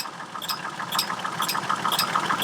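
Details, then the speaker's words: Chevrolet Trailblazer at idle: sharp double clicks about twice a second from the engine cooling fan, intermittent or constant; the fan is fairly new and another fan also clicks; fan clutch suspected, not confirmed. "on my trailblazer that i'm currently driving i have the fan going click click click click as you can hear it sometimes it's worse sometimes it's constant very annoying"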